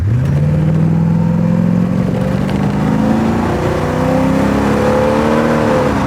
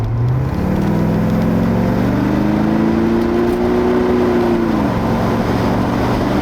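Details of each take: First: Porsche 928 automatic at full throttle, probably from first gear, after Bowden cable adjustment. Engine climbs hard, then pitch drops cleanly into the next gear around 4,900–5,000 rpm. Normal automatic transmission upshift. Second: Porsche 928 automatic after a transmission adjustment, shifting 1st to 2nd and up then back down under light throttle: engine note climbs then drops sharply with a brief shudder at the shift; changes remain abrupt and juddery, upshifting around 4,200 rpm.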